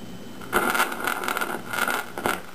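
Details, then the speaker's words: 1953 GE 548PH tube radio alarm clock run on 120 V; irregular sputtering crackles and hiss are internal, not atmospherics, from a leakage path along a capacitor surface, which needs about 130 V to show: capacitor leakage crackle. "so one needs to have 130 volts on or thereabouts and what happens is a leakage path is established along the surface of this capacitor"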